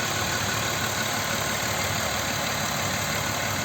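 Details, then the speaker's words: Audi Q7 3.6 FSI VR6: a dry, busy rattle over the idle that is absent cold, appears and grows louder as the engine warms, and vanishes when driving. Compression checked. Owner suspects the cam phaser. "моё предположение друзья это фазовращатель стучит Вот это характерный стук на неё похоже"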